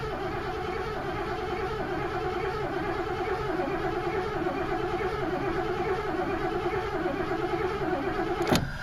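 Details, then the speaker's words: 1986 Mercury Grand Marquis LS first start of the season; long even starter cranking with a wavering churn that never fires, strong gas smell, owner suspects flooding; hard start with extended cranking. "Alright, I don't want to fry this battery. Oh yeah, she stinks like gas. If I flooded it good, I probably should have pulled the fuse for the fuel pump."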